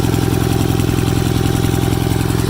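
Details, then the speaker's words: Cub Cadet 782 garden tractor with a 35-year-old twin engine that burns a little oil on one side (soot): a loud, even thumping idle with no knocks or misfires; runs great with plenty of power, normal idle. "it runs great, and it seems to have a lot of power. And she sounds good, that's for sure."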